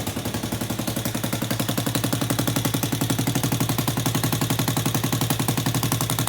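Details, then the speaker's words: Power Wheels Ford F200 build, hollow slip-on Tractor Supply muffler exhausting up front; sharp, evenly spaced cracks about four a second, barely damped, still quite loud. Loud exhaust from ineffective muffler. "back here it's honest enough quaintly loud you're you're saying that doing much so I think it's probably gonna head back to the store"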